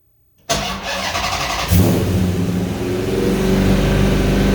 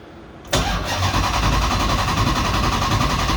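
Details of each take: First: 1970 Coronet with swapped 6.1 Hemi V8, first start after oil priming and a fix for poor running: cranks briefly, settles into a strong steady lope with no knocks or misses; air-fuel ratio rises from 11.3 to about 13.8, charging 14 V, idle slightly high. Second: 1970 Coronet with swapped 6.1 HEMI V8, first start attempt: starter spins steadily about three and a half beats a second, never catches; crank signal error detected, crank sensor not being read.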